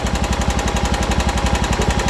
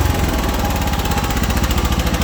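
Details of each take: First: John Deere 240 single-cylinder, after carburetor clean: idle mixture screw turned in until it runs rough, lumpy uneven thump about twelve beats a second, lean; backed out quarter turns until smooth. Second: John Deere 240 small engine after a carburetor clean and idle mixture screw adjustment in quarter turns: even, steady firing pulses with no misses or stumbles, though it still wants choke; normal idle.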